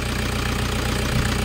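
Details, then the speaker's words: Toyota Hiace GL engine idling during a preventive maintenance check: a steady, even idle with a low regular beat and no misses or knocks. No oil spitting or blow-by seen; the engine is in good condition. "Yan yung andar ng Toyota Hiace mo, sir. Wala naman tayo nakikita ang talsik or sign ng blue by ng iyong makina. So, goods na goods pa yung engine"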